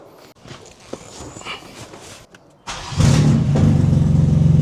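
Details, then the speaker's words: 2022 BMW M4 Competition, crash-rebuilt former non-runner, first start after coolant refill: quiet clicks, then a loud, blatty roar with rapid pulsing rasp; exhaust leak from downpipes lacking clamps and seals, with O2 sensors and back box missing. "The main issue here, the down pipes did not have any clamps. So, when I heard the loud noise when I started the car, it was because of them."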